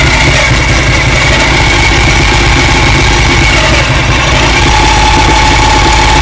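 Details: 2007 Ducati 1098 in 1st or 2nd gear, rolling downhill slowly while releasing the clutch: thin steady whine over low-rev engine, worse as the clutch engages, nearly gone with clutch pulled in; clutch or gearbox suspected, dealer found clutch fine.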